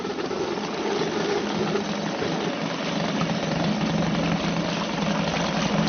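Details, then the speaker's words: Suzuki DT 2.2 hp outboard in test tank, just started, choke turned down, warming up: steady even low-rev tick-over with light water burble; normal idle. "Just let it warm up a little bit, and that will tick over quite nicely now."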